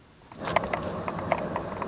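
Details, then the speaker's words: 1988 Lil Rider boat trailer, grease cap missing and grease dirty: hand-spun wheel on jack stand gives rough gritty rumble with uneven clicks from worn wheel bearings; all bearings to be replaced. "hear that? The bearings do not sound very good."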